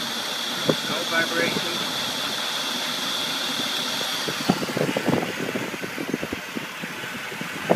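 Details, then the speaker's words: 1990 Mercedes 300SE, 3.0 straight-six, warmed up: steady, even idle with a soft high hum, light ticking and slight power steering buzz from low fluid; no shake or stumble; normal warm idle, hard cold start suspected from cold idle solenoid. "smooths right on out runs like a sewing machine as soon as it gets warmed up"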